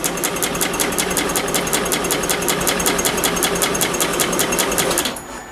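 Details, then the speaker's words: 2021 Yamaha XMax 125 (Blue Core) at 11,000 km, which died on the highway with a broken engine, after rebuild and a new spark plug: labored cranking at about five pulses a second for five seconds, no start; owner blames a weak battery, to be recharged. "la batterie doit être à genou bon ben voilà je vais recharger la batterie"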